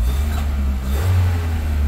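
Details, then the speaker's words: 1999 Ford Escort after fixing a timing belt issue that caused a crank-no-start: starts and holds a low, steady idle with no misfire, knock or stumble; it runs and is in time. "she started over so that's all we wanted to see is that she cranks up and you heard her she cranked up she's running she's in time everything sounds good"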